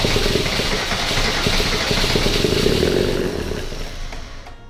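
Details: Mercedes W124 OM606 diesel turbo project first start on new larger battery, throttle held partly pushed down. Loud, harsh roar held high for seconds then dropping; high idle from throttle held open.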